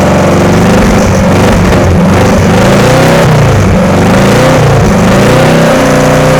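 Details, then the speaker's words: VW air-cooled engine in a Sterling kit car, just static-timed and valves adjusted after being found loose: revs unevenly, pitch wandering and stumbling; rough running, wiring still to sort and fuel pump suspected, cause not confirmed. "right I guess well it does run go through and take care of the wiring and see if I can get it to run a little better"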